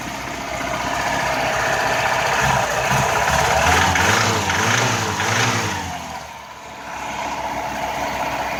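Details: VAZ 2105 engine idles, revs up and settles back, with a faint rapping under the running note that follows engine speed; internal engine knock, cause undetermined.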